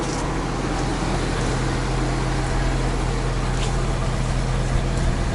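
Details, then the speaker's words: Coachmen 2890QB motorhome engine idling: steady deep idle with even low rumble, no weird noises, ticks or exhaust leak; sounds healthy. "And let's go ahead and listen to the engine. You can hear no weird noises or ticks or exhaust leak for that matter."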